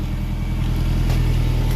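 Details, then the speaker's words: Nissan S14 exhaust after replacing leaking flanges and redoing welds: deep, even burble rising smoothly with revs, moderately loud, no puffing or ticking at joints; sealed, healthy exhaust after repair. "It sounds really good. I like how this sounds. It's a little dialed back. It's not so crazy loud, but it's also not like so bad."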